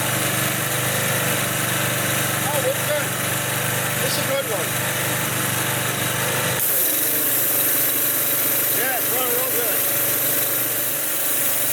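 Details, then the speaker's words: Used consumer pressure washer's small single-cylinder engine on retry: steady even patter at constant speed, no knocks or misses; sounds fine, oil change planned later and maybe a valve check. "We'll do an oil change later, and maybe we'll check the valves and stuff. But it sounds like it's fine."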